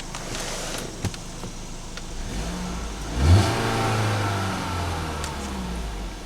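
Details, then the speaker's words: 2016 Ford Fusion at 100,000 miles, just after new spark plugs and coils reconnected; quiet even idle, clean rise in revs and smooth settle, no misfire or stumble; normal revving. "Runs like a top. Feels smooth."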